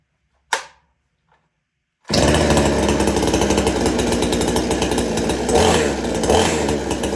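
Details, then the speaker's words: Extreme Power 82100 XP chainsaw fitted with the Salem Master Pro muffler: pull start, then crisp steady two-stroke buzz with good throttle response, good idle and no bogging; running healthy. "But I was very happy the way it runs. I'll start it up for you and let you listen to it for a little bit."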